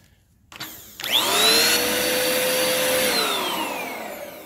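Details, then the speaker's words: Bissell PowerForce Compact vacuum made late 2016 running: motor spins up to a high, strained, pinched whine instead of rushing air; clogged airflow because the lower hose is clogged. "okay so this lower hose is clogged well that's very clawed I can see that in there yeah so lower hose is clogged on that"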